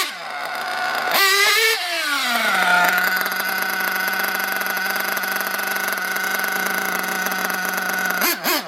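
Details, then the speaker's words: RC nitro engine in an RW monster truck after leaning the low end and richening the top: after a short blip the revs hang high then sag slowly to a steady buzzing idle; idle hang, idle gap too wide. "there what kind of idols up a little bit and then drop lets tell me the low-speed needle or the excuse me the idle gap is a little too wide"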